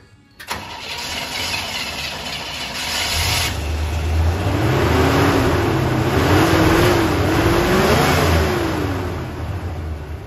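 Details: 1979 Chevy K10 pickup V8, abandoned over 20 years, plugs reinstalled and running on its own fuel system: cranks, catches after half a second and settles into a steady rumbling run with some revving; it starts and runs normally.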